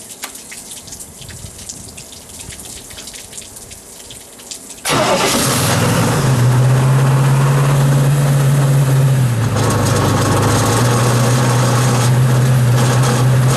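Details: Shoal Runner jet boat engine run on a hose after water intrusion: catches and settles into steady idle with a regular knock about three times a second under exhaust drone; source unconfirmed, owner suspects something loose.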